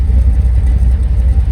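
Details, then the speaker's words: GMC Sierra V8 with aftermarket cam after rebuild, recorded outside at the exhaust with stock water-tank muffler and resonator: deep low rumble pulsing unevenly at idle with slight shake; normal cammed exhaust note. "cam cuz it's good it still has the big water tank Muffler there's a resonator right there you can tell it's camed you actually look at the it's got a little shake to her"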